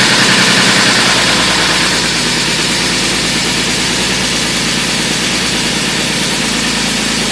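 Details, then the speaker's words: BMW E46 with a newly installed replacement engine, first start out of gear: steady, even idle with a smooth regular beat and no knocks or misses; the new motor runs healthy. "it ran surprisingly it feels very stiff unless you like the blue go so I think it's good"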